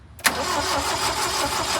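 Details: Old Toyota forklift that had sat for over 10 years, cold start on gas with a good battery; the starter catches and the engine fires at once, settling straight into a steady, even idle after long storage.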